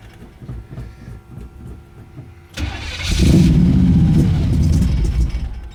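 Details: Old Pontiac Strato Chief with a home-built exhaust, first start in a while on partial choke: starter churns about three and a half beats a second for over two seconds before it fires and roars up; slow hard start, cause unconfirmed.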